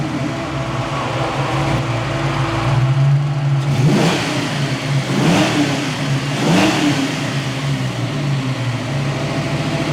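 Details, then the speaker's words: Fox body Ford Mustang with fuel injection on a hot day: idle won't drop below 1,000 rpm and keeps flaring up every second or so then dropping back; surging idle, cause still unknown. "it wants to idle at 1,000 RPM no matter what I do to this system 1,000 RPM is what it wants to idle at nothing below that"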